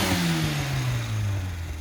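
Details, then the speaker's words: GTM Rossa after carburettor tuning with wideband feedback, previously running way too lean because the carb was far out of tune: crisp rev falling smoothly back to idle, clean even note, no popping or hesitation; now sounds healthy. "uh that sounds absolutely awesome so we let the owner go a it and see what he thinks"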